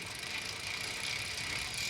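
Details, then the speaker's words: Three-speed bike internal hub coasting in third gear: light, fast clicking over the hiss of the spinning wheel. Normal freewheel ratchet pawl noise. "we're gonna coast so that's what second should sound like and then here's third third speed third gear"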